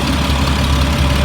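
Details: 2004 Blue Bird All American 72-passenger school bus, Cat diesel, warm after running about an hour, not overheated: smooth, even low diesel rumble at idle with no knocks or misses; sounds good.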